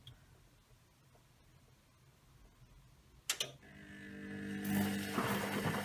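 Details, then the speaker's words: Servis M6011S washing machine, fault being the hot hose not attached, viewed from the back: a thump as the motor kicks in and a steady hum builds smoothly; motor and belt drive running normally. "So you can see the belt's going round. You can see the motor going round now."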